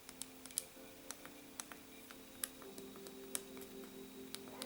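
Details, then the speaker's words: RG35XX SP handheld after doubled masking tape button fix (replacing Kapton tape): sharp irregular plastic clicks with each press persist, noise pretty much unchanged. "And what do you know? I still think it's pretty much the same."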